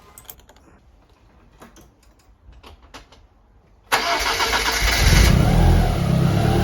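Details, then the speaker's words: Evo1 16v engine after loosening an overly tight, noisy cambelt: a few quiet knocks, then it starts and runs steadily and evenly with no belt whine, sounding happier. "well I guess you were right that does sound happier"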